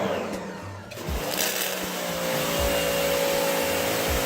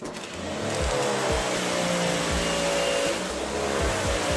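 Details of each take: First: Sun Joe SPX3000 electric pressure washer (14.5 A, 2030 PSI): a motor hum with a rough, uneven pumping surge every second or so. The trigger was cycled too fast, so the pump pulses instead of holding pressure. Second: Sun Joe SPX3000 electric pressure washer (14.5 A, 2030 PSI) spraying: a steady, loud motor drone with an even mid-pitched whine; it is working normally.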